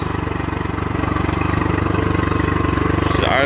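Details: Honda 40 HP carbureted three-carb outboard, sat 3 months, on non-ethanol fuel, warm after a few minutes, pumping plenty of water: even steady beat about four pulses a second, no misses or knocks; smooth idle.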